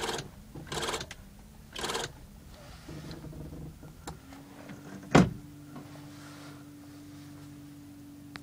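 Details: EF: a few knocks then a steady mid-pitched whirr with no engine firing; won't start, cause unclear.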